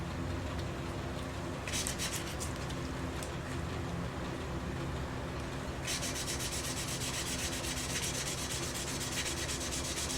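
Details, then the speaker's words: Briggs and Stratton engine of Ex-cell VR2500-1 pressure washer during rebuild: gritty back-and-forth rubbing as a valve is lapped, the cutting sound getting quieter as the seat beds in, showing a good seal forming. "You can hear the cut-in. It gets quieter and quieter and quieter and quieter. It's quite a therapeutic sound. And that's how you know you're getting a good seal."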